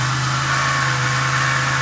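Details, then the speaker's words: 2000 Pontiac Grand Prix GTP that blew intake gaskets in January, noise appeared while driving around June, with bad valve cover leaks: steady idle with a dull, even knocking under the engine note, likely developing rod knock. "driving in this happened that lovely noise plus the things got really bad valve cover leads"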